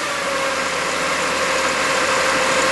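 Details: 1997 Spartan/Ferrara fire engine brought back down to idle as pump operation shuts down after drafting: steady, even idle with constant mid-pitched hum, no knocks or misses; engine settled and running fine.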